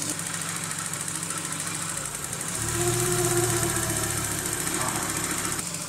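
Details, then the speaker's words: 1995 VW T4 with ACU engine that stumbles and stalls when warm, at operating temperature with the catalyst around 115: a steady petrol idle briefly sags and drops in pitch, then recovers; intermittent idle dip, cause not yet found. "also genau diesen Absacker meinte ich dass der sozusagen so runtergegangen ist"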